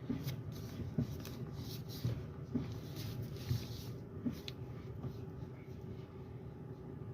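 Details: Kia Optima with electric power steering after replacing the worn rubber damper between the steering motor and column: low, steady cabin hum as the wheel is turned, no clunk. The wheel used to shake at highway speed around 70.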